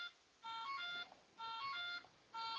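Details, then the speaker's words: Gooniac's new RC LED afterburner setup for propeller warbirds and planes: the ESC gives repeating bursts of high stepped beeps about once a second because its motor is disconnected. The motor is not enabled or running. "so got some new stuff you're gonna hear beeping because my radio my uh esc has been disconnected"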